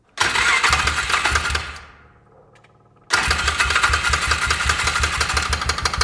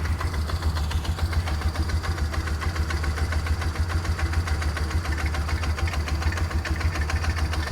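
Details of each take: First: 2004 Polaris Ranger 6x6 after an engine rebuild, first start: sharp rapid top-end tapping while running, though the valves look fine. Owner suspects exhaust valves or the piston contacting the head, possibly from a piston installed backwards. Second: 2004 Polaris Ranger 6x6 idling smoothly with a steady, even low thump and no more knock; normal idle, though it won't take upper RPM (owner suspects carb needle set wrong).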